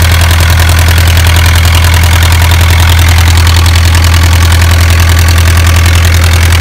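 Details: Isuzu 4BA1 85 hp diesel coupled directly to a 5-inch single-impeller pump irrigating a 20-rai durian orchard, pushing water about 800 m uphill; loud, deep, even chug about two beats a second, no misses or knocks; normal healthy running under load.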